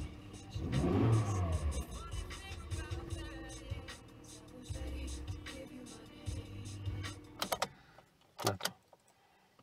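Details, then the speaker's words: Kia Ceed 1.4 petrol with Kefico/Bosch ME17.9.11 ECU, previously crank-no-start from immobilizer fault; after ECU unlocked (immo off), immobilizer light stays off, engine catches in about one second and settles to steady idle; normal start and run. "Και τώρα είμαστε στο αυτοκίνητο. Το λαμπάκι του μπλάζε δεν θα δεν θα ανάψει. Δεν θα ανάψει. Και το αυτοκίνητο πήρε μπρος."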